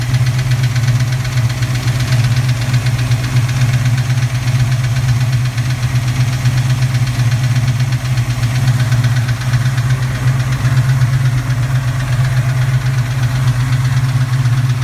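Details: Cold-start metallic clatter, about four raps a second, on the passenger side of a recently rebuilt 331 V8 idling; owner unsure if valve clatter or piston slap. Goes away at operating temperature, replaced by rear belt squeal; more rapping under medium load; good power and oil pressure.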